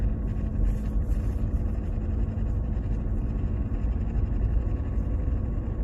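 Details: Mercedes-Benz W203 running: heavy low rumble with a faint steady hum underneath, an unidentified noise the owner attributes to the gearbox; source unknown.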